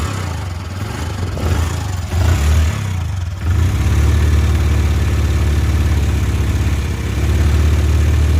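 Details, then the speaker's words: Worn-out Honda Dream Yuga engine before rebuild: deep uneven thumping idle with loose clatter and surging, smoke from silencer; stalls intermittently and fouls spark plugs every two or three km; whole engine needs rebuilding. "బండి sound అనేది ఈ రకంగా వస్తుందన్నమాట మొత్తం engine పోయిందన్నమాట బండి కూడా ఆగిపోతుంది"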